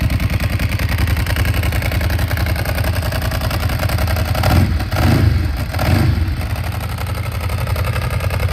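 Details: Ducati 749S warming up on its weekly start: a lumpy twin-cylinder idle with a steady dry clattering rattle and brief blips. The rattle is ordinary dry clutch noise, nothing broken.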